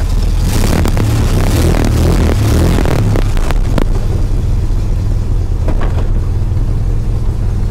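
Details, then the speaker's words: 2013 Jeep Wrangler Unlimited: harsh metallic grinding while cranking, then a steady idle. New idler pulleys didn't cure it, and a transmission/flexplate fault was feared, but replacing the starter fixed it; its drive gear was suspected of not engaging properly. "maybe just maybe if we're very lucky might have been the starter starter goes right into the bell housing a little starter motor wheel gear maybe it's not popping down"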